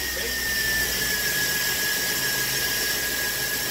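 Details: 2003 Chevy engine running: a steady, high-pitched squeal holds at one pitch from the accessory belt drive. Cause suspected, not confirmed.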